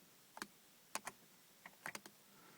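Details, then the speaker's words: 2001 Audi TT MK1, key on, power window switch pressed: only a few faint, scattered clicks from inside the door, no motor run or glass movement; the window also fails to drop when the door opens; jammed power window regulator. "I can actually hear a little clicking back in the the main part of the door when I do that but that's all that happens the window um doesn't move"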